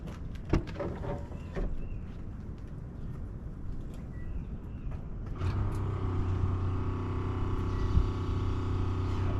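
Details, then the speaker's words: Tow truck being prepped for a Dodge Hellcat's first drag strip trip, started right after fuel, oil and transmission filter changes with all fluids full: engine catches after some handling clatter and settles into a smooth, even low idle with no knocks or ticks; normal idle. "As you see, we got it running, everything was going good."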